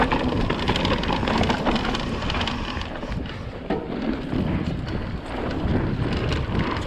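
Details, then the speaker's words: 2020 Vitus Sommet CRS mountain bike, chest-mounted GoPro while riding Aston Hill bike park, before fix: irregular light clattering ticks over trail and wind noise from internally routed cables slapping in the frame; fixed by wrapping cables in split braided sleeving. "I don't know if you guys have noticed, but in my previous videos, the cables on my bike are extremely rattly and it drives me insane."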